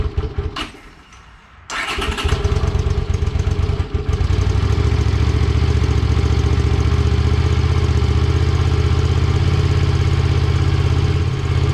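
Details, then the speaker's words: 1982 Honda Silver Wing GL500 cold start on choke after intake manifold repair and carb cleaning: a few quiet cranks, catches, then steady, even fast choke idle with no knocks or misses; healthy. "choke no choke what do you think no joke yeah let's hold on for a second let's choke it all right"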